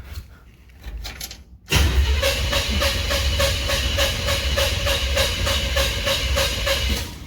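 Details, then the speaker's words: 1968 Chevrolet C10, first start attempt after wiring: even starter cranking, about four beats a second for several seconds, never catches; no ignition power because the distributor power wire wasn't fully seated, runs once fixed. "Alright, turns out that the power wire for the distributor wasn't correctly up in there all the way."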